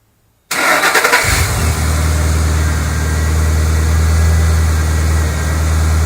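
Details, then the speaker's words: 2008 Ford Mustang GT, first cold start right after oil change with six quarts of Pennzoil Platinum synthetic replacing 6,000-mile oil: quick crank, catches at once, flares then settles to even low idle, no tapping or misfire; normal cold start. "we're gonna do its first cold start we'll see how it sounds now understand that the first second or two that it runs it has to move the oil around so it will likely make a little bit of noise"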